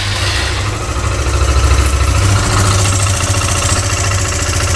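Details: Suzuki GSR 150i fuel-injected motorcycle at idle: even low thrum with a light, fast tick on top from the fuel injector, normal injection noise; bike healthy.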